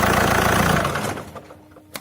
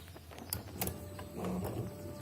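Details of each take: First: Alfa Romeo 156 diesel with new flywheel, shutdown with the function held: engine shakes and thumps winding down, then a final knock; this shudder can fail engine mounts and flywheel. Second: Alfa Romeo 156 diesel with a new dual-mass flywheel: cranks, idles with a steady clatter, then switched off and winds down evenly with no shudder or vibration while an engine part operates at shutdown; normal shutdown.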